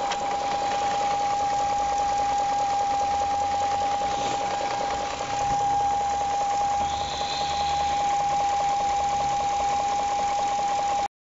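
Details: 2001 BMW E38 740iL at idle: faint, fast, even ticking knock under a constant high whine, not very loud and not heard from inside, car runs fine; source unknown.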